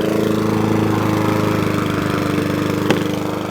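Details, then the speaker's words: Mountfield 414 lawnmower after carburettor cleaning: even, steady buzz with no hunting or surging, holding constant speed; normal smooth running. "that's running nice now we like it"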